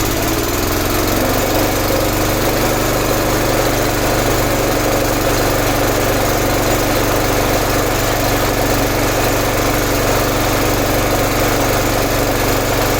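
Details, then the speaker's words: 11 hp Honda engine on an Emglo air compressor after carburetor and air cleaner replacement, steady even single-cylinder drone with no misses while pumping up the two tanks; normal running. "That's how long it takes to get the air pumped up on that. There's two long tanks underneath."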